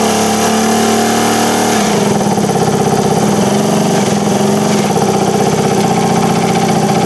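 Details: 1978 Indian moped with a four-stroke petrol engine, run after fitting the air cleaner, choke on: settles from a higher buzz to a steady, even idle with a clean regular beat, no knocks or misses; healthy normal idle.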